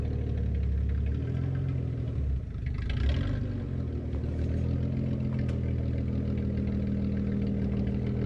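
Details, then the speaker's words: Datsun 280Z driving after ignition timing adjustment fixed sluggishness and hard hot starting: smooth steady low drone with clean pickup, no popping or misfire, no longer shooting flames; normal running. "it's not shooting flames anymore which is kind of a bummer but it sounds way healthier yeah sounds great"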